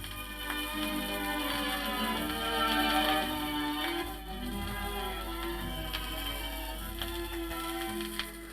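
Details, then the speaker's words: BSR turntable bought as a replacement for a radiogram's BSR Monarch deck, during a quick service: music pitch sways slowly up and down about once per platter turn. Turntable wow, improving with use. "Well, the first thing to do is to fix the wow. It's actually getting a little bit better as it's being used."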